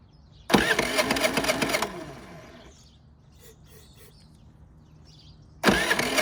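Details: Predator 3500 generator, crank-no-start: with carb cleaner sprayed in, engine bursts to life about a second, dies, fires again briefly. Runs only on sprayed fuel, fuel bowl empty; fuel starvation from blocked fuel line.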